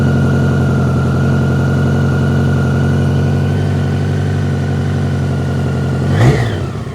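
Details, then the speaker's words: BMW K100 restarted with the choke off after sitting 15 minutes following its first start after a fuel tank overhaul; a brief rev sounded rattly, and the owner suspects oil may be low. Steady, even idle; smooth idle, improving after standing. "enough. Well, it's idling a bit nicer now. So perhaps it's just the fact it's been sat there for a while."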